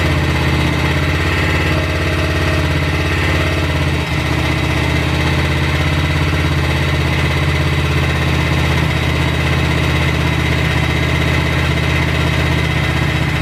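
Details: BSA 441 single, totally cold, after cleaning water and sediment from the Amal carb float bowl and adjusting idle and air-fuel mixture: steady idle about four beats a second, holding even without stalling; carburetion now behaving.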